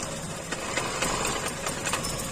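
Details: Maruti new WagonR petrol idling with check engine light (P0302): uneven stumbling pulses and vibration, cylinder 2 dead from a failed ignition coil, confirmed by unplugging; coil replaced.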